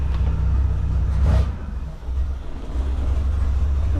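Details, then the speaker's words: 1978 Reliant Scimitar SE6a, Essex V6 on carburettor, after tightening a throttle spring: revs climb then sag and stumble; engine bogging under throttle, owner suspects throttle now too closed and plans to adjust throttle stop. "Okay, for a brief 20 seconds, it was running a bit better there. It's now feels like it's bogging out and maybe the throttle is too closed now that spring on."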